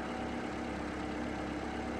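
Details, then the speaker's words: Toyota RAV4 after alternator replacement, charging nearly 14.5 V instead of 9.5 V: smooth, steady idle with an even low drone and the previous alternator whine gone; engine and charging system healthy. "And that alternator sounds much better too. The whine is gone."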